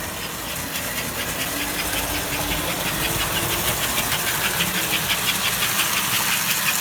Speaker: I also have the airchime whistle generator hooked up into the circuit so that I can test the horn whistle on the layout and it's nice and Loud